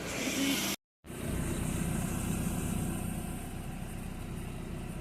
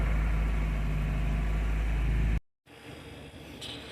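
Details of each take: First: 1993 Nissan 240SX convertible, manual swap, after head gasket and head stud replacement; engine idles steadily around 1000 rpm with no miss or stumble, much quieter than before. Misfire had been traced to the distributor and an untied throttle cable. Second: 1993 Nissan 240SX convertible, manual swap, just after head gasket and head stud replacement, idling around 900 rpm not yet at operating temperature; loud low drone that dips and picks back up unevenly on its own, no throttle input; idle surge, later traced to distributor and untied throttle cable.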